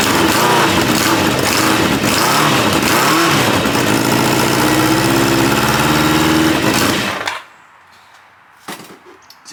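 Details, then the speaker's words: 1986 Kawasaki Ninja 600R, cold start, possibly without coolant: loud, lumpy, uneven beat then shuts off; sounds like running on three cylinders, possible exhaust leak, suspected not confirmed. "to me like it's running on three cylinders. Uh, seems like it also has an exhaust leak."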